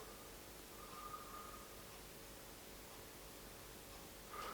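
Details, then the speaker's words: Murphy Type 350 television, cold first power-up after long warm-up, speaker clipped on: only faint steady low hiss with brief thin tone near end; audio stage barely coming alive, no programme sound yet. "oh there's a little bit of hiss there okay well there's a little bit of hiss there"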